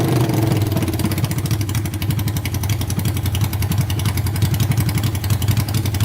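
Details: Honda 500cc engine swapped into a tractor, run to warm up after the fan wiring was repaired: loud, fairly even thumping idle of about 220 beats a minute with no knocks or misses; healthy warm-up.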